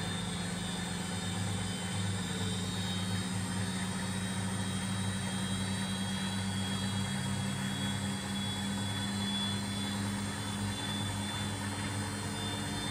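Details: Washing machine after replacing worn shock absorbers, which had caused heavy vibration and noise on spin: smooth, even spin with a steady low hum and no knocking or banging; normal spin.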